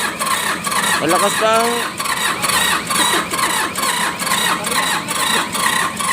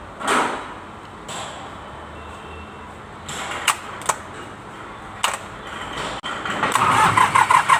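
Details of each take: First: Mitsubishi K3E diesel in an MT18 tractor, before three pistons and rings were replaced: slow, uneven cranking of about two pulses per second that doesn't catch; hard starting from low compression due to worn pistons and rings. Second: Mitsubishi K3E three-cylinder diesel in an MT18 tractor, after replacing three pistons and rings for hard starting: quiet clicks, then quick, even cranking pulses as it catches cleanly; a healthy start.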